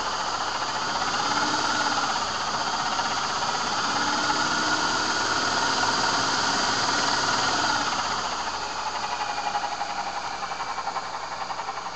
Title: Vortech V2 SQ bad bearing sound